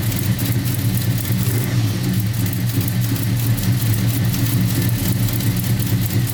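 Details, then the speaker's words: 1990 Chevy Camaro, SBC 350 with Flowmaster mufflers, first start after Holley Hyperspark distributor, coil and ignition box install, once a white wire was tied in: deep, even V8 burble, clean firing, no misses or knocks, revs up smoothly; healthy. "all right awesome it started right up so that was the issue that one white wire a white wire that comes out they didn't botch there I don't want to run too long because I don't have anything set up running wires that got that fire but it sounds good it's revving really good"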